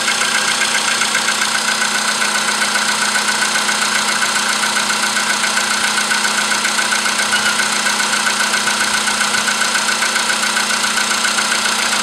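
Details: VW Polo sedan with CFN engine, cold start in the morning after a night at about 10°C outside: sharp, regular metallic tapping about four per second over the idle; internal engine knock, cause unknown.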